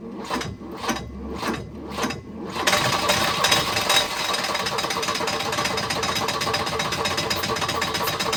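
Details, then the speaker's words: Volvo 242 abandoned in woods, running on starting fluid: irregular sputtering, stumbling clatter, no knock; timing suspected too far advanced or 180 out, crank pulley loose. "I don't know if you want to call that running, but it runs. It's not knocking or anything."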